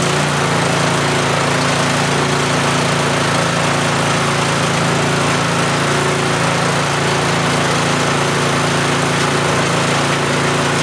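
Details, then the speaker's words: Yardman (MTD) snowblower with LCT engine, fixed after sitting years by dumping the carb bowl and flushing the tank: steady high speed at 3400 rpm without surging or stumbling, running clean, though smoke burns off the muffler. "it runs it's alive 3400 rpm just fine should be okay"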